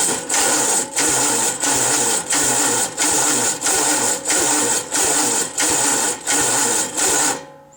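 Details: 1945 Gravely L at first start-up after fresh oil and bleeding the oil lines: slow, labored starter cranking at about 90 strokes a minute with no firing; starter suspected not spinning it fast enough, later pull-started and ran well.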